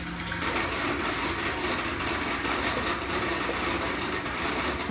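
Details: LG WT7100CW washer during the drain cycle. Gurgling water with a rough, uneven churning hum underneath throughout the drain; a bad drain pump is suspected.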